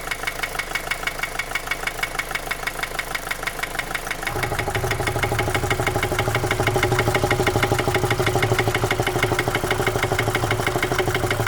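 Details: 2010 Opel Astra J 1.7 CDTI 125 HP at diesel idle: a sharp, regular knock of about three per second that began after a clogged oil-pan pickup strainer. Bearings checked fine and injectors were replaced without help. The knock is slightly quieter when warm.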